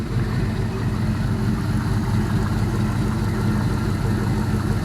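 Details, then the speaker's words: All-aluminum 5.3L L33 HO Gen 3 LS V8 on a test stand, cold and in open loop, idle set to 700 rpm, charging at 13.4 V: quiet, smooth, even idle with no lifter tick, knock or smoke; normal idle. "nice and quiet so sounds real good even in a cold start there's no smoke uh seems to be running pretty rude pretty well"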